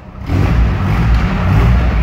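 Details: GAZ-69A convertible on its first start after crankshaft replacement: a deep, full-bodied engine roar holds steady under throttle with no knocks or rattles, oil pressure has come up, and the engine sounds healthy and pulls cleanly.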